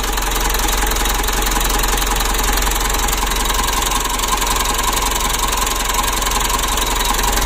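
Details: Mitsubishi Strada Triton common-rail diesel, brought in for hard or no starting with dirty fuel that can reach the supply pump, idles with steady, even clatter and no stumbles or surging; idling normally.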